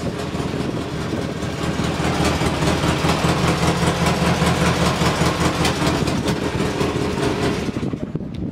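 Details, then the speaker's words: Polaris Sportsman 600 ATV at idle after finding a chewed red wire under the speedo. It now holds a steady, even idle with no stumble or popping, still slightly high; target is thought to be about 1100 rpm. Normal idle. "and it's working carb on still idling a little high but uh i'll have to tweak that"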